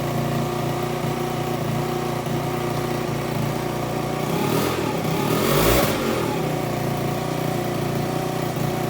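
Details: Aprilia SR50 Purejet with Piaggio engine after rebuild, fitted with an original cylinder and piston: small two-stroke idles steadily, blips up sharply and back, and now starts perfectly and reaches 9000 rpm. Runs clean.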